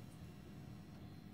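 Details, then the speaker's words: Boiler fan with brown burn marks and burning smell: low steady electrical buzz with no spin-up whir; fan motor seized and failed, confirmed with voltage present at the fan on a multimeter. "right you can hear the fan buzzing"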